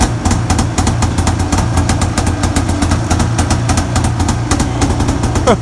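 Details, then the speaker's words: Arctic Cat 570 snowmobile, Japanese two-stroke engine, electric-started at minus 40 on new Varta AGM battery with full choke; rapid, even putter with steady beat, no misses or knocks; normal cold idle. "ну ладно хоть буду знать что он заводится в такой мороз минус 40"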